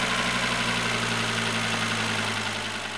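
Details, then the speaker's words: Volvo V70N after fixing CEM-6C48 transponder fault from replaced key shell and charging the battery, restarted: engine settles into a smooth even idle, steady low hum, no knocks or stumbles; healthy normal idle. "Så, nu startar den här jättefint igen, den här bilen."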